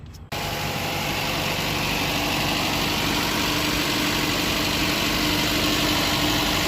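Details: 2015 Chevy Cruze 1.4 turbo, 68,000 miles, after valve cover/gasket replacement for P1101 code and PCV hissing: engine catches and settles into a steady, even idle with no hiss or stumble; normal idle.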